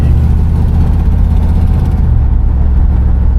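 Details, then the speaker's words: Customized 1964 Buick Electra 225 with a 350 V8, on a test drive, accelerating after a stop sign with no rattles heard. Deep, even V8 rumble building smoothly under throttle, no knocks; strong, healthy motor, normal acceleration. "Yeah, she's moving. So pretty strong motor, definitely solid car."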